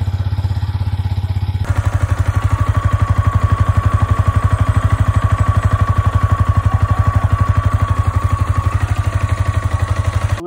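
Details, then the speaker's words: New Yamaha R15M motorcycle at about 1,600 km, just after break-in long ride; owner hears a bad noise and more vibration than before: fast, even pulsing about four per second with thin steady whine; abnormal engine noise, cause unclear. "Sa mga expert dyan, please comment kung okay lang ba yung motor ko, normal lang ba? Kasi sa akin, meron talaga akong naririnig na hindi maganda."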